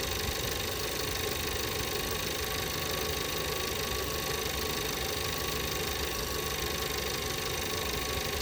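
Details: 2017 VW Passat 1.8 after replacing the camshaft adjustment (variable timing) solenoid for random misfires in all cylinders appearing after a few minutes: steady even idle, smooth hum, no stumble or misfire, no check engine light.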